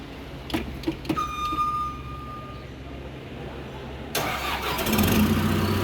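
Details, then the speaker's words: Caterpillar D3K dozer diesel during daily pre-use check: quiet pause, then the starter catches at about four seconds and the engine settles into a steady, even idle; normal start. "Oke, selanjutnya kita menghidupkan unit. Nah, menghidupkan unit, kita on kan. Itu pastikan tulisan-tulisan di dashboard ini hilang. Terus kita starter."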